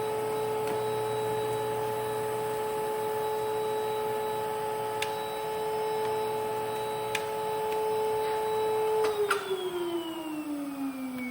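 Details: 1992 Panasonic Jet-Flo MC-9530 canister vacuum with power nozzle: steady high motor whine, then on switch-off the pitch slides down with a rough edge; the owner says the motor needs new bearings or new grease.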